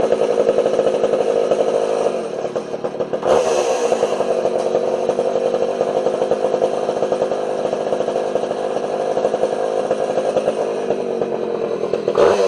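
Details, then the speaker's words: Homelite 240 two-stroke chainsaw after adjusting the low and idle jets on the carburetor: crisp, even buzz holding steady high revs with a brief dip, clean and responsive; running properly. "but that saw runs beautifully that thing cuts like a demon"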